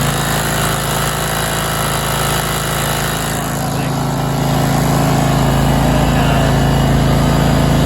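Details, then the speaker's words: Used John Deere LT190 lawn tractor, 476 hours, low on oil, started with a little choke: single-cylinder engine fires right up and runs a steady, even beat with no miss or knock; healthy. "Let's put a little choke on it, see if we can get it to fire up. Fires right up."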